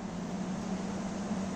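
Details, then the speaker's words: Window AC after servicing (evaporator and condenser coils water-cleaned, front grill and air filter refitted), running in fan-only mode: steady low hum with a smooth rush of air and no rattles or scraping; airflow and air speed have increased, fan operating normally. "Fan मोडवर याची air flow वाढला आहे, हवेची speed वाढलेली आहे."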